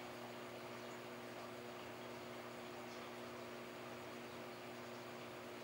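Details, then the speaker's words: New saltwater aquarium running: steady low pump hum with a couple of even tones under a constant watery hiss of overflow into the rear filtration chamber; normal noise. "To be honest, it's just background noise, but your pumps will make vibration noises and you will hear some water overflowing your weird into the rear filtration chamber."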